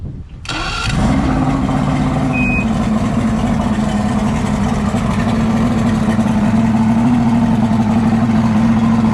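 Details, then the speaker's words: Boat motor that had sat unused, after a stuck starter solenoid was tapped and high revving from a broken throttle cable was turned down: catches within a second and settles into a steady, even idle. "she runs Gooden got started up again"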